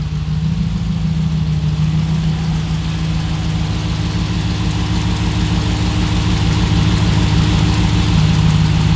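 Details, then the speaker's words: Hemi Jeep idling with the fan shroud off while the steering wheel is turned, after a new power steering pump and a homemade line: faint steady hum, no pump whine, no leaks; power steering working normally. "yep so far everything looks fantastic I think from here I'm going to slide my fan shroud back in and then take it for a drive but other than that it looks like the power steering is fixed"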